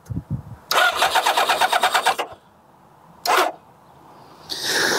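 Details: Kawasaki ZZR600 with flat battery, HT lead damaged and unexplained sparking: slow uneven starter churning about 1.5 seconds dying without catching; weak crank, suspected ignition fault, no start.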